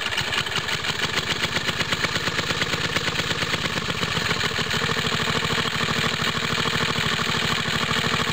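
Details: Water pump rig single-cylinder engine, cold start with choke on, straight 30-weight oil, new exhaust tip; smoke seen from side of head, owner thinks head gasket leaks, losing compression: uneven, slightly chuffing idle about two beats a second; head gasket leak.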